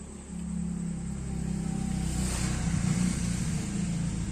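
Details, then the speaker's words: Yamaha maxi scooter idling: busy, fast sewing-machine clatter over a low hum; CVT and magneto ruled out, cam chain found loose, weak tensioner. "di daerah sini saya langsung curiga Iya karena Suaranya berisik kayak gitu kemungkinan besar menurut saya ini pasti Tensioner"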